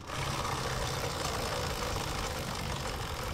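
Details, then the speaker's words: Honda Supremo 150 motorcycle: steady gritty grinding over the low engine note, like a crushed bearing, from a worn drive chain and worn, loose sprocket; dirt and sand wear the chain rollers, making it noisy. "so pangalawang dahilan mga idol no is pudpod na rin yung sprocket Ayan oh pudpod na rin yung sprocket kaya maluwag na rin dito sa may kadena niya"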